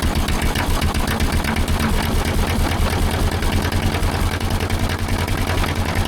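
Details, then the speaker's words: Gasoline pony starting engine of a 1940s Caterpillar D8 dozer unmoved for decades, running on old gas already in its tank: steady rough chugging about two and a half beats a second, continuous. "I can't believe it. It's running off of gasoline that was already in that pony tank."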